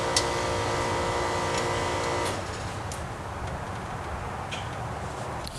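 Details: Chevrolet S10 engine, first start after sitting roughly 2–3 years, rough running and puffing a little smoke: steady squealing tone at first, then fast uneven puffing ticks from exhaust leaks.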